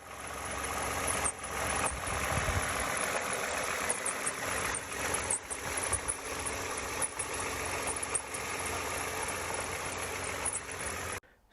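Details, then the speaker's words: 2011 Toyota Avalon, recently bought, idling: a thin high squeak with irregular chirps that persisted after a belt replacement, with the customer concerned about the water pump and idler pulleys. "there's a little bit of noise there's a squeaking noise he did replace the belt squeaking noise still there as you can hear here"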